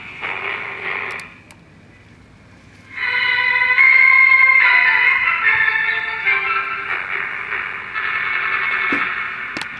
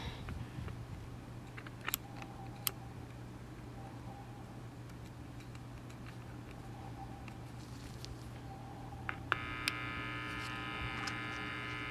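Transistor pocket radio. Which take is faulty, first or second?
second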